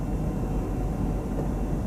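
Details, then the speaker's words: Audi Q7 air suspension compressor running long (fault 02645): steady low droning hum until it cuts out at about 2:30; fault code confirms switch-off due to excessive temperature, so overheating causes the cutout, not the valves. "no yeah 230 cuts out okay so that's cut out eight cuts out at 2 30. so temperature is the problem why it's cutting out"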